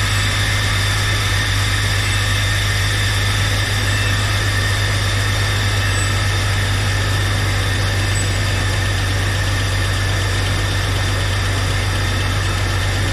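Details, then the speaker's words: 1999 Jeep Cherokee with a junkyard 4.0L inline-six, just started after installation: steady, even low idle with no knocks, misses or surges. Slight smoke is believed to be oil burning off the manifolds. Idling normally. "sounding pretty good a little bit of smoke coming up here i think it's just some oil burning off the goth manifolds and stuff nothing to be concerned with"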